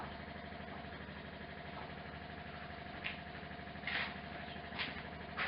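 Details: 1968 MGC GT automatic, out of long storage, old fuel pump siphoning a quarter tank for a couple of minutes: steady, even mid-pitched buzz with a few light clicks, no rattle or labouring; pump delivering normally.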